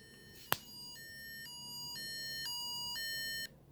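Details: Implanted pain pump sounds its critical alarm after the reservoir ran out when a refill was missed: a click, then steady two-tone beeps alternating high and low about every half second for three seconds. The alarm repeats every ten minutes.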